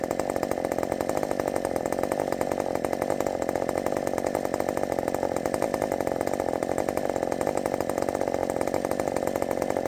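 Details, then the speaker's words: Redmax 5000 chainsaw with wide-open exhaust port muffler at full throttle in the cut: steady high-rev howl, no bogging or surging, about 12,200 rpm dropping to about 11,900 on a knot; faster after the mod. "it's definitely faster I is definitely faster than the um Thunder kitten that's blazing finally I think we got there"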